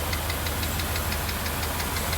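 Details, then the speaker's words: 1982 Mercedes 380SL V8, warm idle after a new oil-preloaded timing chain tensioner, water pump, hoses and a rebuilt mono valve: a light, quick tap on the passenger side, about six per second, keeping pace with engine speed. Cause unconfirmed; owner calls it not bad. "I do have a little uh tap tap tap over on the uh passenger side but you know it's not bad you can hear it"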